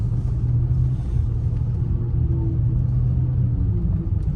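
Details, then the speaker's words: BMW X5 E53 driving at low speed: steady low moan under road rumble with a dragging feel; transfer case or transmission suspected, passenger CV axle has slight play; cause not confirmed. "the hell is that noise do you hear that yeah there's like uh like a moaning do we have a transfer case problem or do we not or do you have a transmission issue"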